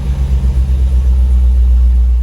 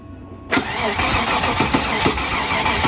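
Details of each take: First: Long-sitting Land Rover Discovery, possibly with bad gas, restarted with condensation coming from the exhaust: a smooth, deep, even rumble with no ticking, knocking or stumbling. Normal idle before codes are read. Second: Original Land Rover Discovery that would not run, with a fuel pressure gauge on the test port; steady starter cranking at about three beats a second with no firing, and the gauge shows no fuel pressure, so owner will add fuel and retest.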